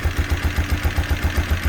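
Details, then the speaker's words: Single-cylinder motorcycle after repair of a bent valve, reported as both exhaust and intake, which made it run like a car missing a cylinder. Now a steady, even low thump about seven beats a second with no tick or knock. "como pueden escuchar el motor está encendido a la vez y ni se y ni se escucha como dice"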